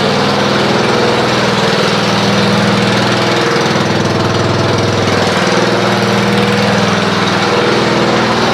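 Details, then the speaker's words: Snapper RER Comet mower, previously rough after sitting about a year, now after running a fuel additive: steady, even idle with no misses or stumbles; it has smoothed out and runs normally, with no carburetor teardown needed. "Well, you can see it's already smoothed out."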